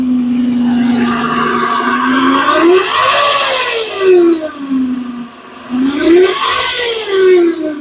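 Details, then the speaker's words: Toyota Vellfire engine bay: steady whirring hum rising and falling with engine speed, from worn alternator bearings that get louder over time; fixed by replacing the alternator or its clutch pulley. "Hearing a small noise from your bellfire engine bay? Don't worry. Most of the time, it's just the alternator making the sound. The bearings wear out and the noise becomes louder."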